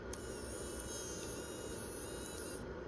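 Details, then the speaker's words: Sony HDR-HC3 HDV camcorder after replacing a shorted, overcurrent capstan motor, with the transport rebuilt, relubricated and mode switch cleaned: tape loads with a smooth, steady motor whir and faint even whine, no grinding or catching; normal loading. "And you can see there it loads nice and smooth. So, it's good."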